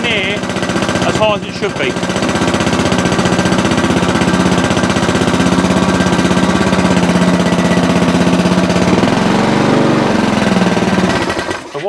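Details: Sovereign lawnmower with oil level correct, primed and started; it runs steady but at a low, chugging speed, about four beats a second, never reaching proper revs because the governor spring is displaced.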